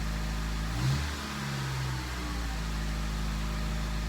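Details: 2003 Honda CR-V, first start after timing chain repair, no check engine light: quiet low idle with one short rev settling smoothly back, no miss or rattle; normal revving, owner suspects a bad muffler.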